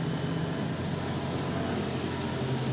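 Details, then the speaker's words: 2010–2014 Toyota RAV4 idling while warming up after water pump replacement and coolant refill, heater blower on high. Low steady idle under a loud blower rush, even and unchanging, no knocks or squeals. Normal idle. "We're gonna start it up, and we're gonna allow it to get up to temperature. Just make sure everything is right."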